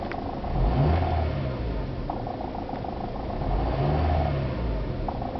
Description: Ticking sound can be heard only inside the car. Notice that knocking is heard only when there is combustion.